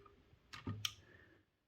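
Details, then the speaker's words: Acorn Electron at power-on, not starting up, 5V rail pulled down slightly: a few sharp small clicks from the blue cassette tape motor relay pulling in. "Interestingly, I did notice when we put the power in, we can hear the tape relay clicking in. That little click noise, that's the tape relay"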